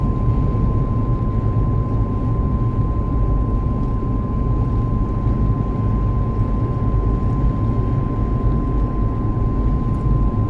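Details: Driving at about 70 km/h, a steady high-pitched whine holds one pitch above the road rumble; the dealer could not hear it and the source is not identified.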